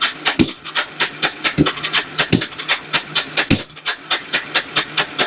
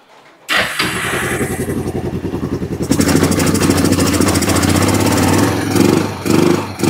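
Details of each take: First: Kawasaki Bayou 300 ATV, parked two years, cranking with the choke on after a carburetor cleaning: slow rhythmic cranking with hissy puffs and no firing; the engine is flooded and the spark plug is covered in fuel. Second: Kawasaki Bayou 300 ATV, parked about two years, first start after carburetor cleaning with aftermarket carburetor; cranks, catches within a second, settles into steady single-cylinder running with a few throttle blips, no smoke.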